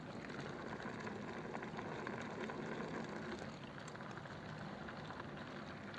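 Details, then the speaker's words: 1932 sedan with a big-inch flathead that ran hot and ejected coolant, with the engine off just after a drive: soft, irregular bubbling and gurgling from localized coolant boiling or coolant passing the thermostat. "you can hear like localized boiling or at least water coming past the thermostat or something it's a little bit that's boiling hot making all sorts of funny noises"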